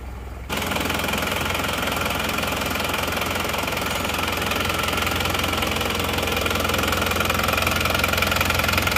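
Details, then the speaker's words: Isuzu Panther diesel rebuilt with new liners, first start, cold: steady, even clatter at idle, holding speed without missing. Rebuilt engine running well, normal cold idle. "at awal Masih dingin baru hidupar ya es Oke ini mesinnya sudah hidup sekarang kita coba Sebentar ya"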